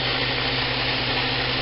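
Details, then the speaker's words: Homemade 2x72 belt grinder on a metal table with no rubber feet, speed varied from 1 to half speed: very quiet, constant low motor hum under even belt hiss, tracking well; smooth, healthy running. "nd as you can tell, it's very quiet. All you can hear is a little bit of that little motor running, and you can see how well it tracks."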